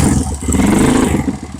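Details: Kawasaki KLX 150 bored up to 175 cc, smoking and clattering after trail riding, warmed up: single cylinder runs with an uneven clattery beat and a puffing chuff each stroke, compression leaking at the head with slight smoke; head gasket compression leak.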